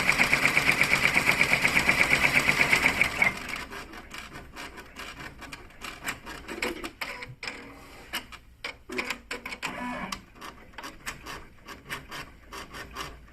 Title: pr1055 strange noise